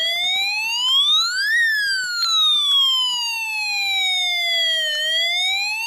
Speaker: When the rotating spinner is off, the alarm sounds like a siren.